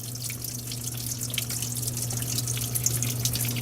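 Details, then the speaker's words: Under-sink kitchen drain leak in a 1958 house: running tap hiss with irregular splashing drips, two or three a second, falling into the cabinet from several spots including the back corner; water damage and mold under the floor. "All right, dripping from right there, dripping from way back there in the corner, dripping here."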